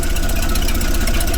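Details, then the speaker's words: 1931 Plymouth engine at steady, even low idle after fresh plugs, gear oil and front brake drum work; low chug with no knocks or misses, fired right up and running good, no leaks seen; normal idle. "and running good. I don't see any leaks."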